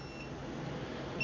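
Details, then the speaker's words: Stacyc 12/16eDrive kids' electric balance bike run on an aftermarket Makita battery: high, thin repeating controller beeps, the error code for an overheated battery or a fault in the battery recognition circuit. "and you could hear that beeping so this is either going to be hot battery or an issue with the battery in the recognition circuit"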